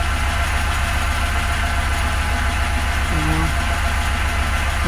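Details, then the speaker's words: Pontiac Grand Prix GXP with an '06 engine in an '07 car, first start after sitting, oil not yet changed, running rich: steady idle with a light quick ticking; owner suspects the DOD system needing a delete or oil pressure still building. "so it needs a DOD delete yeah just got to build oil pressure up"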